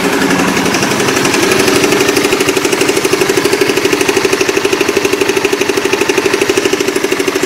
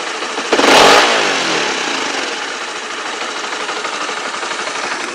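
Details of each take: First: Motorbike ("Oscar") with a klotok-klotok engine knock present for almost a year: a steady, fast, valvetrain-type clatter of about three knocks a second over an even idle, which later went away. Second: Motorcycle after its year-long klotok-klotok noise was fixed: sharp throttle blip then clean even settle back to idle, no rattle or knock; normal revving.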